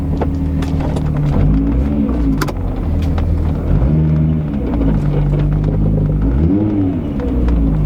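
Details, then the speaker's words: Mk3 rolling slowly after work underneath: low, smooth engine hum with gentle swells and no tinny buzz or rattle underneath, only a slight door-card noise remaining; the underbody rattle appears gone. "I hear the door cut a little bit but I don't hear the normal hmmm I think we might be someone let's go back"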